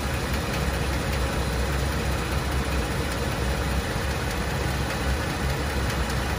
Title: 2017 Tacoma 3.5 Atkinson cycle ticking sound after vacuum pump and high pressure fuel pump replaced